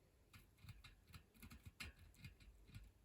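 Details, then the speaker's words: Falcon Kora kids mountain bike front wheel spun by hand during restoration: faint uneven dry ticking and rasping, slows quickly; front hub bearings really tight and dry, need re-greasing; rear wheel spins freely. "It's like really tight, really dry. Definitely needs a service."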